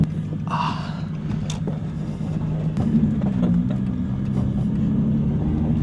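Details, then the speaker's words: Nissan 350Z freshly started after sitting about five months unrun: deep, uneven rumble with scattered ticks and rattles, nearly stalls; owner hears a lot of unexplained noise, cause not yet clear. "I hear a lot of noise coming. I hear a lot of noise. I don't know what that is. That could not be good."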